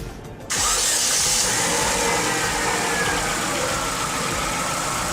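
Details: Car with an engine computer, started using jumper cables from another battery to cure a no-start from a weak battery: brief quiet, then the engine catches at once and settles into a steady, even idle; starts normally.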